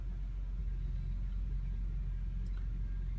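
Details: 2007 Honda Accord V6, cold morning start after replacing the power steering return line O-ring: engine hums low and steady at idle, no groan or whine from the pump even when turning the wheel; normal.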